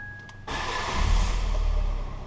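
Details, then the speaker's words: Fiat 500 auction non-runner, after resetting the triggered fuel cut-off with the indicator sequence from the user manual. A short starter whirr, then it fires straight up into a smooth, even idle: a clean, healthy start. "Fire straight up. Fire straight up. Simple as that."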